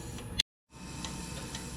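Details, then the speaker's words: Fuel injectors in a heated ultrasonic cleaning bay, pulsed with cleaning solution for about 20 minutes: sharp ticks every half second over a bath hiss, growing louder as trapped debris cleared; injector clicking from debris. "You could hear it clicking. They got louder and louder as I went. So, they did have some debris in them"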